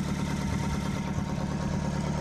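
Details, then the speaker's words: Colt Diesel truck, long unused, after starting: diesel settles into steady even idle with firm low beat, no misses or knocks; normal idle. "dan suaranya pun juga enak dan kyky suaranya UFO untuk sini ya masih sip Istimewa"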